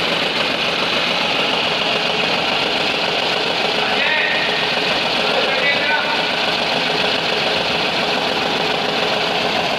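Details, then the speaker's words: Renault Kwid petrol idling roughly with heavy vibration, knocking and an uneven stumbling beat; cylinder 3 misfire with the check engine light on, traced to the injector 3 control circuit in the harness between injector and ECM. "आप देख सकते हो बिल्कुल भी मिशिंग कर रहा है engine काफी वाइब्रेशन और मिशिंग कर रहा है आप देख सकते हो"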